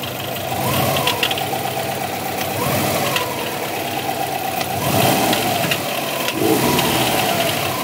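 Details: 2002 Subaru WRX, 176,xxx miles, replacement EJ20 engine of about 70,000 miles, untuned, with cat-back exhaust, intake and BOV mods: revved, knocking rises and falls with speed; owner suspects the turbo or a spun crank bearing.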